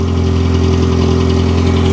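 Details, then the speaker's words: 1991 Plymouth Colt Vista, Mitsubishi 4G63, 74K miles, one owner, bought as a non-runner, first start: steady deep idle with a loud, hollow, raspy exhaust drone underneath, some exhaust still exiting the mufflers; exhaust leak at a broken flex pipe, confirmed underneath. "obviously the exhaust is well it's not completely cut because we have exhaust coming out of the mufflers probably a broken flex pipe"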